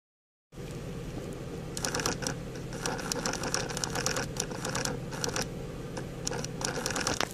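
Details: 2005 Honda Pilot, intermittent rapid plastic clicking bursts over blower hum from above the front passenger's left foot behind the center console: chattering air-mix (blend door) motor, fixed by cleaning.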